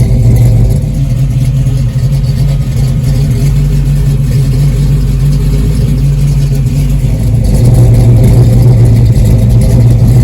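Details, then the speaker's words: 1969 Pontiac Firebird with stroked 494 cubic inch Pontiac 455 V8, being restored after 20 years off the road, idling outdoors while warming up toward cooling-fan cycle: deep loping rumble with even pulses, no knocks or ticks, a healthy normal idle. "And while we're waiting, I'll go ahead and play some music for you, because outside here in the real world, it actually sounds even a little bit better."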